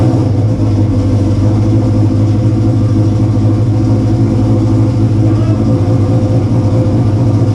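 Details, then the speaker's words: Subaru Forester with freshly built engine, first start, running a little rich: loud, steady, even idle with deep rumble, no knocks, ticks or misses; healthy, no leaks. "He's running a little rich with all that fuel. Dude, it sounds like a drag truck."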